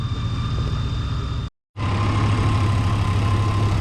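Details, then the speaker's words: Chevy/GMC V8 SUV (described as both a 2004 Tahoe and a 1994 Yukon) with a crank-no-start complaint, idling with the fuel pump hot-wired and injectors pulsing: a steady, even-firing idle with no misfires, running normally. "it's running pretty good it's not really misfiring at all so we're good there"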